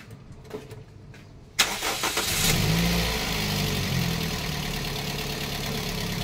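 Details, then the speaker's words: Toyota Vios that kept breaking its belt after the compressor pulley was replaced with a different 3PK pulley on a 4PK setup. The engine catches after a short crank and settles to a steady, even idle; the knocking is gone and it sounds normal. "wala na yung tuktok totan na yung ito na yung tunog niya o ' ba yan na yung normal na tunog niya sir"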